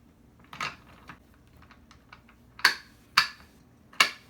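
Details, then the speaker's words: AMF Shovelhead Lowrider transmission during restoration, cover test-fitted with pedal held down: a few sharp, crisp metallic clicks at uneven half-second gaps as the kickstarter ratchet engages; normal kickstarter ratchet engagement before the ramp disengages it. "we could hear it currently engaged because i'm holding down the pedal and if i get it all the way back up where the ramp pulls it out right here now it's disengaged so that's where we want to be"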